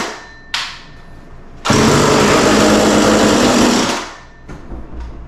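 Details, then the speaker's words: McCulloch Mac Cat 18 two-stroke chainsaw, first start during start-on-spray test before fuel and oil line repair: starts after a pull, buzzes to strong high rev, holds steady, drops to clean idle; started right up, runs well. "Wow. Well, that sounds really good. That started right up and sounds really good."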